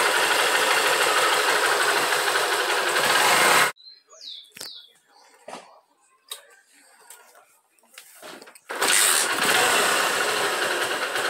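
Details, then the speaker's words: Honda Titan 150 motorcycle, previously misfiring with a knock, after carburetor work with a 115 jet: two clean, even rev bursts climbing smoothly without stumbling or knock, normal revving, problem resolved. "olha como ela levanta o giro suave antes ela dava aquele toque toque tá resolvido tudo no"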